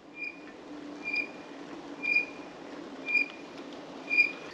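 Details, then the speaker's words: 48 V 1500 W e-bike motor at the end of a 50 km ride on assist level 1, assist switched to 0 and coasting on asphalt: short high squeaky chirps about once a second, in time with wheel rotation; squeal source undetermined, still to be dealt with. "I turn off the assistance to 0 You hear it screeching now"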